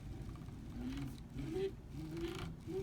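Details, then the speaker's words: Prusa i3 MK2 X-axis carriage moved by hand: smooth travel until one spot, then a clicking, rumbly, pebbly sound and the axis becomes hard to move; cause unknown. "You hear that? Like a clicking, rumbly sound. So that doesn't exist for the rest of it. It'll hit there, and like the moment that sound happens, it gets all rumbly and hard to like move."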